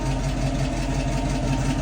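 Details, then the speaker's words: 1966 Mustang idling in drive after half-shaft bearing replacement, rear disc brake conversion and differential service; even low rumble with steady idle pulse, no clunk, whine or grinding, quiet and vibration-free. "the international works really nice and quiet no more noise no more vibration everything is super nice feeling"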